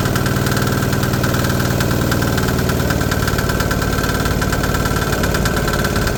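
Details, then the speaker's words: DIY 3HP 1.5kW single-cylinder generator idling on first start after new muffler fitted: steady, even chug with loud, raspy exhaust bark, no misses; quieter than before but still loud, muffler needs more support. Runs cleanly. "so the muffler needs a little more support, but much quieter. It's still loud as hell, that knocking, man, and it's idling right now."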